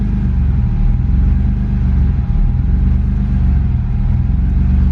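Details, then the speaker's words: BMW E30 316i with an M50B25 six swap that runs too rich: it started on the first turn and gives a deep, even idle rumble with a faint constant tone on top, regulating normally. "Démarre au quart de tour. Et voilà. Elle régule."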